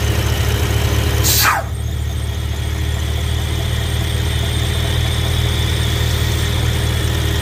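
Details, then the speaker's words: BMW E70 X5M, S63 V8, earlier UPR catch can setup, heard from under the car at idle: a thin, high, belt-like squeal. It is not the belt; excess crankcase vacuum, which also made the oil cap hard to remove, is sucking air past the front main seal. "and if you could hear the the squealing or chirping type noise from underneath the car uh it sounds like as if the belt is slipping but it's not actually the belt it's actually the crankcase sucking in air through the front main seal"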